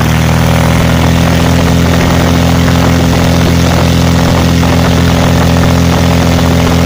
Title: Lom-Praha M337-AK first run after overhaul